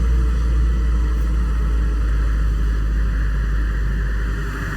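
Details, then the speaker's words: 2005 BMW 545i (E60) N62 V8 just after an oil change, idling; deep uneven rumble with loose pulsing about four times a second, more shake than normal, some lag; old unidentified noise that comes once the idle drops, rough idle, cause unknown. "I don't know if you guys hear that noise. I have no idea what that is. It's not a new noise, but it always happens once the idle drops."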